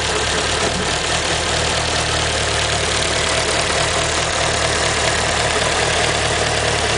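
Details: Evo engine at a steady idle with a light, quick ticking under the engine note; owner suspects lifter tick, cause not confirmed.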